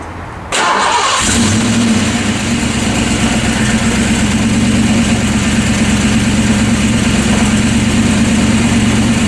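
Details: Ford Fox Body Mustang 5.0 after an accident, started after resetting the fuel pump inertia switch behind the hatch panel: quiet, then the engine catches at about half a second and settles into a steady, even idle with a smooth low rumble. Normal idle.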